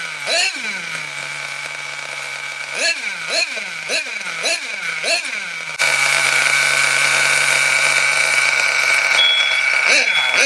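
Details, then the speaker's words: Nitro RC car engine, cold, after fuel lines cleaned and dry block lubricated: quick sharp revs falling off fast, then screaming high pitch; starving for fuel, partly from cold, needle valve then richened about half a turn. Lean running, fuel-starved. "When I was revving it up and it was starving for fuel, you could hear it going, and that was partly because it was cold"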